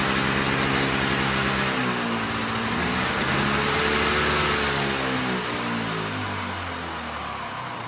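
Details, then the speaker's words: Old Arctic Cat snowmobile with a swapped-in fan-cooled two-stroke, carb idle and mixture screws set to 1.5 turns; fast buzzy idle sits too high, then slowly sags; ignition kill switch had failed. "I tried to back the idle down about half a turn because it was really revving."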